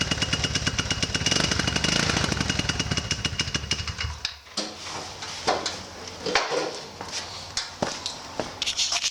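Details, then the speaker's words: 150cc GY6 engine just after installing a new performance clutch, exhaust loosely fitted. It runs a quick, even putter for a few seconds, then shuts down, with no slipping or rattles from the clutch side: normal running. "There you go, I just started up."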